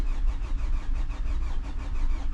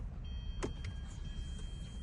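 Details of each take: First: 2011 Hyundai Sonata crank no start: steady rhythmic cranking for nearly seven seconds with no firing; the pump gets power per the test light but builds no fuel pressure, a bad fuel pump. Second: 2011 Hyundai Sonata with crank-no-start from no fuel, after fuel pump replacement, key on: faint steady high hum starts and holds over low rumble; new fuel pump priming normally.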